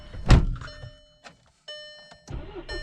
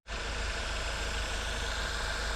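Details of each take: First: Cold VW GTI on a brisk morning, cam/crank correlation code P0016. Catches after a stumbling crank, then settles into an uneven, lumpy rough idle. Cause was a faulty magnetic cam adjuster and oil control spool valve. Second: VW GTI that ran rough with a cam crank correlation code P0016, after replacing the cam actuator (magnetic adjuster and oil control spool valve faulty): steady, even, smooth idle with low rumble and no stumbles or misses.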